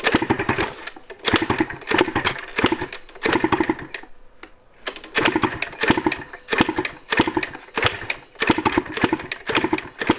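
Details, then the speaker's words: 1986 Yamaha IT200 two-stroke enduro, kick-started around 90 times after oil was dumped into the cylinder: rhythmic bursts, barking like an old hit-and-miss engine, coughing but never catching. No start. "She's a barker. Sounds like the old hit and miss engines. Take me back to 1910."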